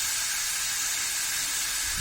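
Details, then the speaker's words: Rare 1972 Ford XY Falcon factory 4x4 ute being moved off a jack: loud, steady, high-pitched hiss of escaping steam ("kettle action") with no engine running. Coolant is boiling over; water may be poured on. "a little bit of kettle action going on I'll be sure to go to that first oh"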